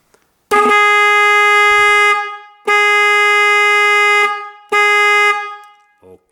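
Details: BMW two-horn system (2000–2022, e.g. E46, E90, F30), low-frequency bass horn tested alone on battery power; three clean steady blasts of a deep, rich tone, about a second and a half each, nothing wrong heard: normal low-tone horn.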